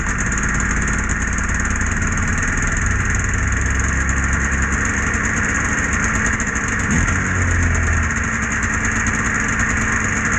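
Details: Polaris Edge 600 XC two-stroke sled after clutch spring replacement, started to check clutch engagement: steady, even burble with no misses or knocks, settling into a smooth idle; engine and clutch sound healthy.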